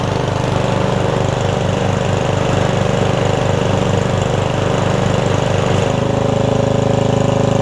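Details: Murray riding mower engine after fitting the four missing engine mounting bolts and adding an exhaust, filmed on a tripod: a steady putter at even idle, firing regularly with no knocks or misses.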